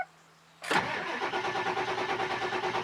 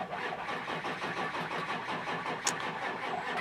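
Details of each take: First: Ford 7.3 Power Stroke diesel truck, disabled so it cranks without starting, on healthy fully charged batteries and a good starter: brisk, even cranking at about three compressions a second with no sag or drag, showing normal fast cranking. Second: Ford 7.3 Power Stroke diesel no-start: batteries low per volt gauge, starter turns the engine over slowly and laboriously in a steady dragging rhythm that never catches; won't start with batteries that low.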